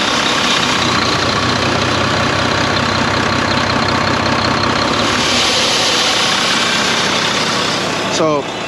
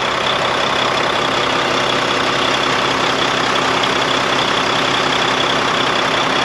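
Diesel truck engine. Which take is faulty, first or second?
first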